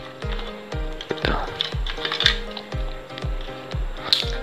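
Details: Chinese-made TV (suspected) with a good picture but hoarse, crackly sound, sizzling breakup over every note; distorted audio output from a faulty audio amplifier IC.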